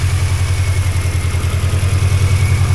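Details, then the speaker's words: 2003 Mini Cooper, first run after long sitting with the immobilizer hot-wired: low even exhaust idle with no stumbles or knocks, about 14 V charging; oil burning off the exhaust at start. "sounds okay 14° or 14 14% 14 volts so there yes indeed it runs how do you like that"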